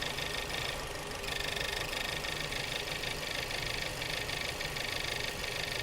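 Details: Subaru after engine work idling roughly with an irregular stumbling pulse; owner likens it to a blown head gasket, cause unconfirmed.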